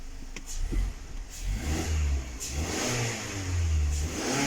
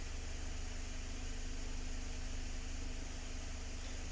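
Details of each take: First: 2019 Mazda 6 GDI petrol engine revving: uneven surges with a rough, stumbling low note, long cranking, P0300 random misfire; spark plugs and coils already checked, fuel injectors suspected and replaced. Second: 2019 Mazda 6 after fuel injector replacement for a P0300 random misfire: quiet, steady idle after about 10 minutes running, no stumbles; only a minor cylinder 1 misfire count, possibly from old plugs or deposits.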